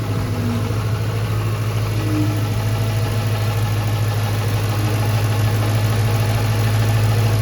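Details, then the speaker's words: 2005 Mustang GT V8 idling with a steady rumble and a faint constant whine from a failing alternator, linked to error code P0340; battery is new and car shut off during alternator test. "And another way to figure it out, it's kind of easy, is you'll actually hear the alternator whining."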